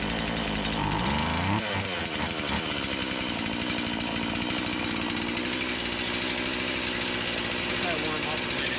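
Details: Stihl MS170 with Amazon replacement motor and a new Holzfforma carburetor, cutting black walnut: uneven buzzing revs that climb and sag without crisp response; owner says it sounds far more doggy than an OEM MS170; sluggish running.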